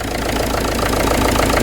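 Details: Citroën Berlingo diesel after repairs including glow plugs: steady, even idle with light clatter, no stumbling, surging or shaking, much reduced smoke and no air in the fuel lines; running smoothly and healthy.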